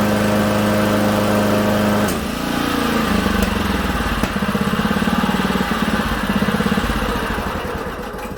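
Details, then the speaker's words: Honda HRA215 SX mower after its carburetor was cleaned and refilled with fresh high-octane fuel, started on choke. Smooth steady idle, then the note drops as the blade clutch engages and it holds a steady beat under load; running healthy. "So we put it to choke to start it. It idles real nice too, guys."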